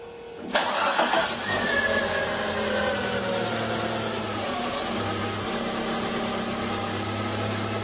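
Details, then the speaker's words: Chery QQ after the exhaust resonator's broken joints were welded and refitted, checked for exhaust leaks: engine cranks, catches and settles into a steady, even idle with no rattles or leak puffing. Normal idle, repair successful. "As you can clearly see, the car isn't making any strange or unusual noises."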